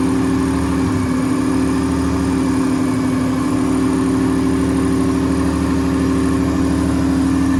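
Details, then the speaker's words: Corolla drift car just after engine reinstall, running before heat cycles: steady, even idle with smooth low drone, no knocks, ticks or misses; engine sounds healthy and settled. "Everything looks and sounds very good, so I'm going to do a few heat cycles on it."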